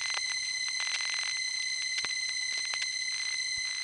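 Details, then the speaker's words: 1970s #1 Crossbar office, Grand Concourse, Bronx: single steady off-key tone under scattered relay clicks during dialing, noisy power supply hum that runs through the whole building. "if it could just play a different note every now and then yeah that would be nice but it only plays one note and that note that it plays isn't even on a musical pitch"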